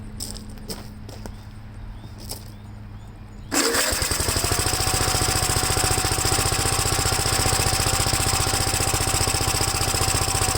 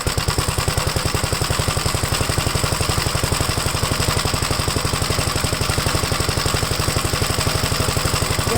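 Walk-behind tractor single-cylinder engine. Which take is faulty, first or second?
first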